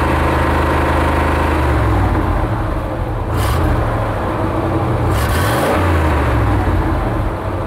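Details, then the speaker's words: 1990 K3500 dually with 454 engine, revving, heard from outside: ragged uneven exhaust note with dropouts instead of a clean climb; misfiring because it's not getting enough fuel. "can you hear him missing that's because it's not getting enough fuel"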